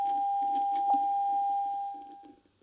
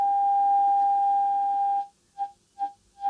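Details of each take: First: Tube radio during RF alignment, signal tuned to 6.1, listening while adjusting the oscillator coil: a steady whistle near 800 Hz holds, then fades within a second as the coil is detuned off frequency, losing the tone. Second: Tube radio RF alignment with oscillator tuned and signal generator test tone at 6.1 MHz: a clean steady tone that drops out and pulses back as it's tuned, received exactly on the 6.1 dial mark.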